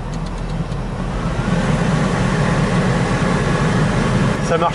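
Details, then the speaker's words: Citroën C5 II V6 HDi cabin blower fan (Behr/Bosch) after 3D-printed turbine repair, engine running, max defrost: steady even airflow with low hum, no rattle or vibration that existed before; normal at full speed. "là on entend vraiment faim c'est un bruit de ventilation normal pas là j'étais à fond en dégivrage on est au maximum"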